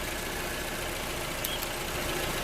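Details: Toyota RAV4 after alternator and belt replacement: quiet, steady idle with even low hum, no belt squeal or chirp; alternator charging 13.6 V.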